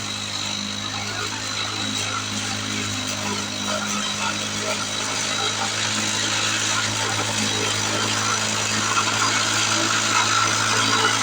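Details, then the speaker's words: 1970 Lawn-Boy Buttercup two-stroke mower cutting thick wet grass, blade unsharpened: steady high buzz holding pitch under load, no bogging or sputter; runs strong. "oh my goodness I am truly impressed what a great little mower I didn't even sharpen the blade on it"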